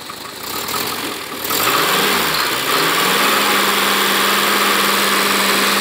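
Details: First start of a freshly built Renault Dauphine 1093-replica engine for a Renault 4: 904cc, reground camshaft, domed pistons, balanced, modified cylinder head; starter spins briefly, engine catches and settles into a smooth, steady idle; healthy.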